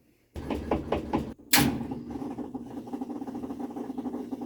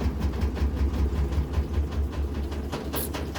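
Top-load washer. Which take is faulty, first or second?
second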